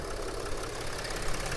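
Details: 2007-2010 Mercedes Sprinter NCV3 diesel at idle after pushing the separated turbo resonator back together and tightening the pipes; previous air-leak sound gone, steady even clatter with no hiss of escaping air.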